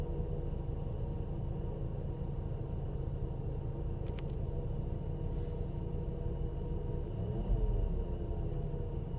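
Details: Volvo V70R: steady low rumble at idle with a faint constant whirring tone; noise disappears with the serpentine belt removed, alternator suspected (probably a bad bearing), to be replaced.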